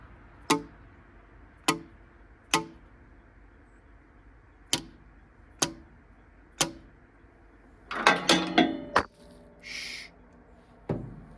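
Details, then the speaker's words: OMC Mustang 345 skid loader engine, abandoned and being revived, cold Minnesota, valves tapped by hand: sharp separate clicks as each valve snaps back onto its seat, so none are sticking; one may still not seat right. "see those two you can hear them kind of snap back against the seat"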